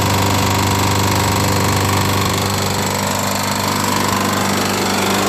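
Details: Small single-cylinder push lawnmower, run after a Permatex red RTV homemade head gasket. Harsh and loud with steady sharp ticking about three clicks a second; some smoke, no oil leak. Cause unconfirmed; the RTV head gasket is suspected of failing.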